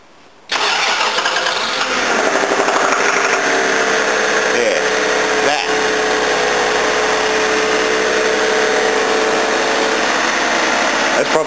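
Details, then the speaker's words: Toyota Cressida petrol engine, 300,000 km, on a very cold morning, revved unloaded with a steady light knock about three per second, silent under load; owner suspects timing or worn big-end bearings, and the knock faded once warm. "the worst I've heard it so far so I heard it thought yeah 300,000 K old engine $500 car oh well"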